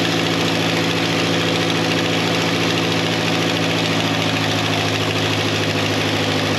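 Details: 1953 Ferguson TO20 tractor after Marvel Schebler carburetor rebuild and float adjustment: loud, steady engine beat holding even speed with no missing or surging; running well, carburetor no longer leaking.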